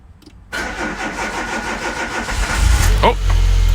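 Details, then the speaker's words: Citroen ZX, electronic fuel injection, first start after winter storage, in neutral: catches on first crank, settles to even idle with short throttle blip; normal start. "oh and I hear a nice healthy fuel pump down there have a listen there you go cuz this is electronic fuel injected"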